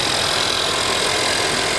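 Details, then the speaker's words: Hail-damaged 2021 Honda Civic Sport at salvage auction, on jump pack, listened to under the hood; steady even idle, no knocks or squeals, charging at 14 volts. Normal idle. "she sounds healthy charging up at 14 volts we'll shut this off"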